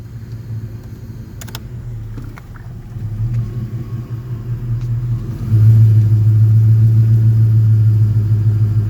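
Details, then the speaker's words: Car idling with AC on, compressor cycling off and on: low steady idle rumble steps up louder and heavier as AC load comes on; idle surging, owner suspects failing AC compressor. "oh you hear it see it's going up down up down and you can see the compressor turning off and on"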